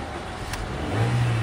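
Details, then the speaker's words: Honda City after repairing its starter motor, which had only clicked (tak-tak) without starting: a brief crank, then the engine catches almost at once and settles into a steady low hum. It starts within half a crank; problem solved. "य हमारी half self में गाड़ी start हो चुकी है बाहर से भी आपको दिखाता हूं सेल्फ मार के स्टार्ट करके य एक सेल्फ में हमारी गाड़ी स्टार्ट हो रही है"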